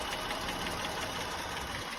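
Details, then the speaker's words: Jeep Grand Cherokee idling down after startup: a fast, light tick that also seems to come from further back near the wheel well; the owner suspects an exhaust leak, possibly the resonator after bottoming out, though the shop found no leak; unconfirmed. "Startup is over. It's idling down. You can hear the tick."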